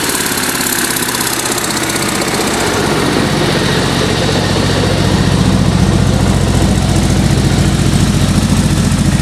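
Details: Engine's first start with a bad exhaust leak: a loud, raspy idle with a sharp puffing tick in the exhaust note that grows louder as revs rise.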